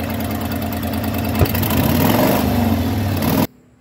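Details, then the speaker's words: 1993 Ford F250 302 5.0 V8, after replacing cut-up vacuum harness plus throttle mix screw: steady smooth idle rumble, no stumble, then clean shutoff before overheating; running better but still not roadworthy. "We got the vacuum harness in, and that plus the mix screw, it is running better. Still not going to take it anywhere, but it is running better."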